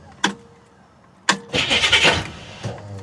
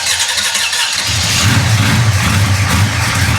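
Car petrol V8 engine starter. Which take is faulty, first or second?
first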